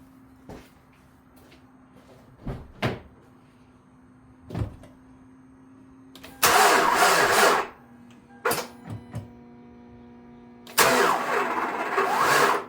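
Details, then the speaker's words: Hyundai oil-burner, towed in for not starting, previously had a timing chain job, battery low at 11.6 V on charger, belt loosened; short cranking bursts catch and die with harsh uneven rasp: abnormal cranking noise, suspected spun bearing. "That sound like a spun baron. That's exactly what that sound like."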